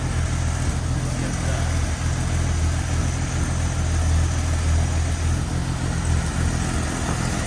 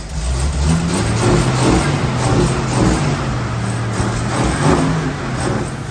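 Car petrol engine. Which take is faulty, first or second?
second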